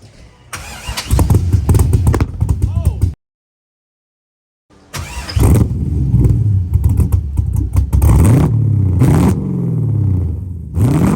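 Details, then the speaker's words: Lexus IS300 with an LS V8 swap, not yet tuned: it fires up and bogs, with the revs faltering and breaking up instead of climbing cleanly; the owner expects a tune to fix it. "It wants to bog out, and every time we try to rev it up, it kind of breaks up a bit."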